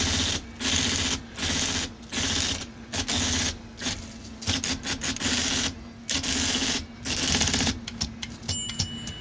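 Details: IBM Selectric 1 with new hub, after oiling the stiff sticky keyboard rack: crisp, even bursts of typing with clean single strikes and no doubled characters; keyboard mechanism working freely.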